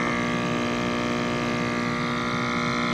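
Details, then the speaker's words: Active Aqua hydroponic air pump after fix with zip tie to stop internal part sliding: on low setting a steady, low, even hum with no rattle or buzz; running normally and quieter. "now it's on low you can barely hear it"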